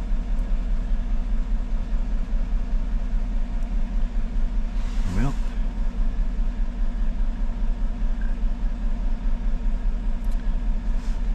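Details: 2014 GMC truck 5.3L V8, 81,000 miles, cylinder 1 misfire: deep steady idle with a faint recurring stumble, no ticking; no spark from coil 1, misfire moved with coil swap, so ignition coil faulty.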